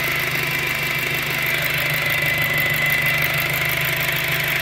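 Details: 2007 VW GTI at idle: steady high moaning whine constantly above the idle, persisting after the timing belt was replaced. Likely belt- or pulley-driven, source unclear.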